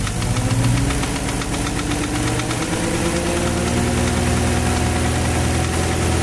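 Steady idle with a sharp knock repeating about three times a second over the engine note, clearly a knocking fault.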